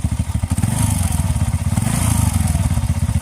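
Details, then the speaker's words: TVS Ntorq 125 scooter just after start-up: fast even idle thump with a rough scraping chatter on top; a mechanic diagnosed a faulty one-way starter clutch. "ये देख रहे हो किरकिर की आवाज आ रही है"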